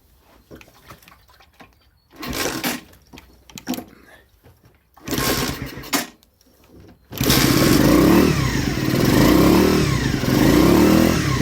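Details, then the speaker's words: Skyteam Ace 50 moped, new Zongshen HY50 four-valve twin-cam four-stroke, still being run in, cold start: a few kicks, then catches into an even patter with crisp rev blips; healthy engine. "well it's still cold but that's the sound I think it's a great sound for such a little engine"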